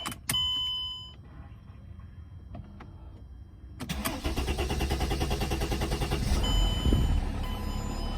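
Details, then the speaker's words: 2006 Mercedes E320 CDI, OM648 diesel, just after replacing the fuel rail pressure sensor and glow plug control module; the starter churns several seconds before it catches and idles. Extended cranking caused by air in the fuel system. "That's because there was some air in the system when I removed the pressure sensor. Usually starts back up way faster than that."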